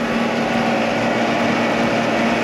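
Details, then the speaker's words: Small air-ride compressor on the Slambretta scooter build, run through relay and pressure switch from a big battery, building pressure until the switch cuts off at about 120 PSI: steady even motor drone, constant mid hum, working normally. "so that's working well you can see there yeah it's about 120 PSI so that switch has cut that off now and that is all pressurized"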